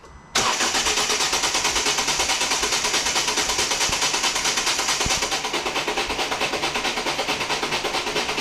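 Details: 2014 Volvo V40 D2 1.6 diesel (D4162T) after stripped timing belt damaged the cylinder head, with new timing belt and crank sensor fitted: starter churns evenly for about eight seconds and the engine never fires; cranks but won't start.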